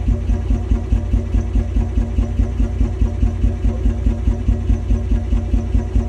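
Uneven, lumpy idle with a steady low thump around 143 a minute that pulses and wavers instead of running smooth; rough idle, cause unknown.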